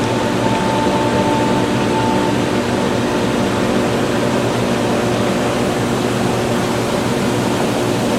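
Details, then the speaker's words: Hayward pool/spa pump after swivel nut and knob replacement, air purged, steady even water whoosh and constant motor hum without surging or rattling; normal running after catching prime. "So that's going to purge all of the air out of itself right there. That's pretty good right there."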